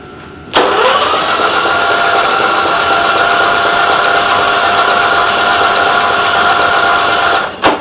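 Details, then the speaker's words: Small engine cranked at half throttle with choke, starter not strong enough to overcome compression. Labouring whine that speeds up over about seven seconds after it spits out liquid. Spark plug found wet, owner thinks with gasoline. Suspected hydrolocked cylinder from fuel flooding. "Maybe it was hydrolocking because it just shot a bunch of something. Hmm. And it also picked up speed as I went along."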